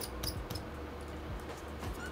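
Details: Lenovo Legion Y545 gaming laptop: quiet fan hum with sharp, high mouse-like chirps now and then; worn, squeaking cooling fan bearing, one of the two CPU/GPU fans failing and set for replacement.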